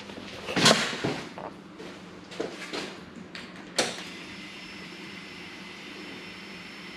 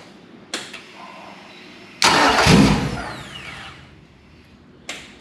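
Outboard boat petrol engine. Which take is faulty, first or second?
second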